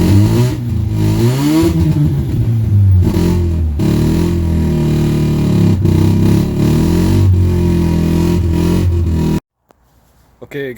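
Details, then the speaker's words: Mazda RX-7 GSL just after swapping in a used, higher-compression rotary engine: lumpy, uneven note surging and sagging on throttle blips, running on one rotor. Rear carburetor fuel bowl apparently not getting fuel. "the swap done on the gsl it's having some carburetor issues so unfortunately it is running on one rotor best i can tell it's not getting fuel in the rear fuel bowl so we'll need to figure that out"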